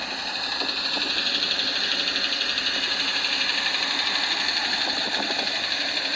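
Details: 2017 UAZ Patriot, cold engine (rested an hour) held at steady idle by scanner: sharp regular tapping about four per second over the idle, following crankshaft speed, heard well from above; owner says it shows under load. Cause unconfirmed.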